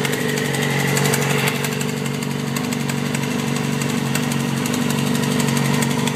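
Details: 2007 Yamaha R6 at idle, shortly after valve adjustment, spark plugs and oil change: sharp, fairly even ticking about four per second, started suddenly and grew louder; owner suspects cam chain tensioner or low oil, unconfirmed.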